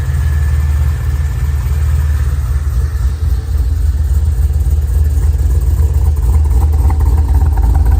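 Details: Pontiac G8 V8 at idle after reinstalling the engine with the destroyed torque converter replaced. Deep, steady rumble with an even beat, no knocks, misses or whine; running well.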